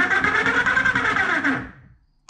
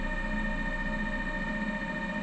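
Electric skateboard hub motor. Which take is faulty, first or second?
first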